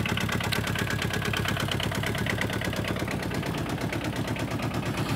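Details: 2009–2011 Aixam Mega Multitruck, about eight years old, with a replacement diesel after the original blew: loud, rhythmic diesel clatter at a steady idle with even firing beats; noisy but normal.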